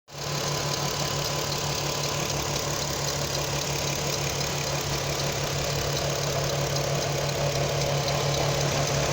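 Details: Audi TT 3.2 V6 petrol idling steadily with a light quick tick about three per second on top; timing chains being investigated as a possible source.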